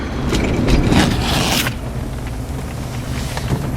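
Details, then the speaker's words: 1984 Cadillac Eldorado Biarritz, about 490 on the odometer, driving through a turn: even road rumble and engine hum with no rhythmic clicking from the front axles; CV joints are good. "It doesn't click when you turn, so the CVs are good."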